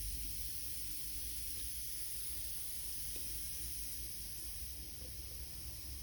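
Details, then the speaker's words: Homemade boost-controlled fuel valve feeding carb and turbo, spring set to open at about 10 psi; quiet, steady hiss with no rhythm while it holds pressure: air leaking past the needle pin. "you may be able to hear it but there's quite a bit of air actually leaks past the pin"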